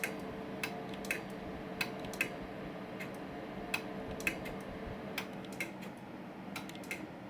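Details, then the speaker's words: 8-pill SSB amplifier with the SSB switch on: crisp, irregular relay clicks over a faint low hum as the sideband keying delay relay switches normally. "hello you guys can probably hear it clicking in the background just showing the uh delay working"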